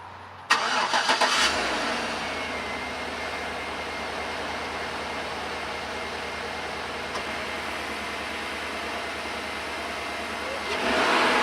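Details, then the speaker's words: 2011 Chevrolet Suburban after replacing all spark plugs and wires: brief crank, catches at once and settles into a smooth steady idle with no misses and no codes; normal start and idle. "start it up everything looks good no codes no nothing started right up so I'm guessing that all the spark plugs are good they're all plugged in now we just drive it and see"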